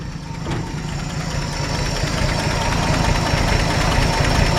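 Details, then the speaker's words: 1951 Chevrolet 3100 truck with a straight pipe and no muffler: loud, throaty open-pipe rumble with a steady beat, slowly building a little; idle smooth and healthy. "actually got a straight pipe on it no muffler and I actually really really like the way it sounds this is actually might be one of the first trucks I've ever gotten with no muffler on it sounds awesome engine sounds great"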